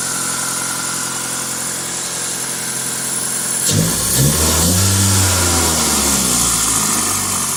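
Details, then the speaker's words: 2000 Toyota Celica GTS, 2ZZ engine, after cleaning the idle air control valve, warming from 54 to 65 °C. Smooth fast idle near 1300 rpm that keeps dropping, then a clean rev blip that settles without misses; idle is normal and healthy. "is a really healthy sounding engine foreign I'm just gonna pause the video I think as the engine is heating up now it's 65 you can see the RPM dropping it's clearly going down that's good"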